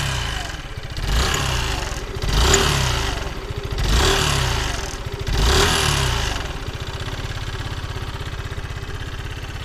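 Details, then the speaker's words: 2009 Yamaha X-Max scooter idling: a low, uneven beat with recurring louder swells of rough, hissing noise; owner suspects an abnormal engine noise, cause not confirmed. "Alors bonjour à tous, je poste cette vidéo parce que je pense avoir un souci avec mon X-Max, avec ce bruit anormal."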